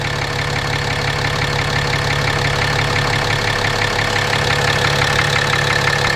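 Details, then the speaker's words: 2017 RAM 2500 6.7 Cummins diesel at 12,100 miles, on Rotella T 15W-40 and often towing a fifth wheel, idling with the mic moved around the engine: a deep knock about three per second that has always been there; oil analysis shows high iron; cause unknown. "It's got 12,100 miles on it. It's always had that knock."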